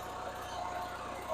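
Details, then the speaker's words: Onan generator on a vintage GMC motorhome, after blowing a little smoke and having the carburetor fuel-mixture screw adjusted: a steady even hum with no stumbles or surging. Spark and fuel are good and it runs smoothly. "Real nice sound right there. So, you've got your spark and your fuel."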